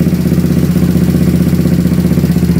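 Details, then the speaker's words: Pit bike with a 160 4S YX single-cylinder engine in a test bike, carburettor and idle not yet adjusted: steady, slightly lumpy idle with a light, even valve tick. Engine runs fine but is untuned. Normal idle. "Donc le moteur tourne nickel, il n'y a pas de problème, maintenant il faut le régler quoi."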